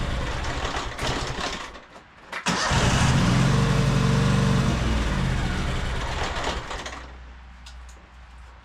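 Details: High-hour Cub Cadet 2186 lawn tractor with Kohler engine: cranks, catches and runs briefly, then fades and dies within seconds. Won't stay running due to fuel starvation from a split fuel line.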